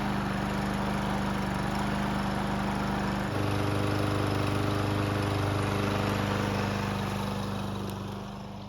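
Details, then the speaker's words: Troy-Bilt mower with auto choke that would not start, now running after priming the carb with fresh gasoline: even drone stepping up to a fuller, steady note; normal running. "So what just happened was that we were able to get it to start and run by priming the carb with some fresh gasoline."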